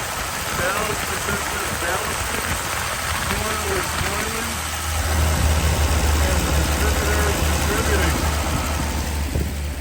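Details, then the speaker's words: Lull machine after fitting a Mopar slant six electronic ignition module and distributor, restarted after sitting all winter; slow, steady low chug with no misfire, running properly again. "well be yep she's back in the land of the living that electronic ignition is working pretty slick too I might add"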